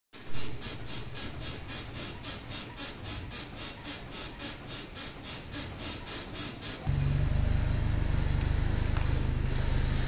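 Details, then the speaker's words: Toyota Innova front suspension: rhythmic squeaking about four a second then heavy low rumble, from dry, worn upper and lower arm ball joints with no grease, noisy under load. "mga tropa b nabaklas ko na ito yung cost ng ingay itong Ball joint na to yung upper suspension arm tapos yung lower arm meron din siyang vol Jo dalawa kasi yan ngayon yan yung nagfocus ng ingay"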